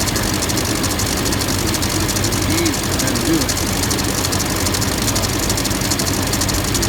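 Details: LMM Duramax diesel at idle: a light, uneven ticking of about one per second that sounds like a bearing or pulley. After every pulley and the A/C clutch assembly were replaced, the worn serpentine belt proved to be the cause.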